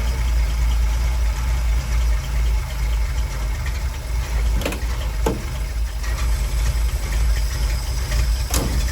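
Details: 1962 Willys pickup 226 six after sitting about two years, carb rebuilt: low, uneven idle rumble with occasional sharp ticks, smoking, after oil was put in cylinder 3. Rough idle; low compression in number three cylinder, other causes not yet known.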